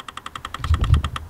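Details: Renault Megane just after battery reconnection: fast, even ticking at about eleven clicks a second over a quiet background from a unit in the car; cause not confirmed. Rapid clicking after battery reconnection.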